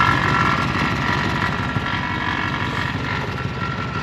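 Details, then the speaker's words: Mini Ford F150 idling after hitting fence posts that broke the exhaust: rough puffing rasp riding over the engine beat, louder than normal; exhaust leak up by the front differential. "Also, we got an exhaust leak up by the front differential now."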